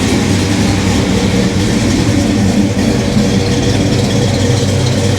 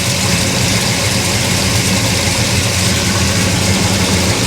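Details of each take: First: Monte Carlo V8 after retiming to 27 degrees initial, 38 degrees total: deep, steady burble idling about 850 rpm, even firing, no misses, knocks or ticks; normal idle. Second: Monte Carlo V8, no driveshaft, first start while setting timing: loud, busy idle with choppy, lumpy low rumble and sharp edge; about 45 degrees advance at idle, far too much, timing to be reduced.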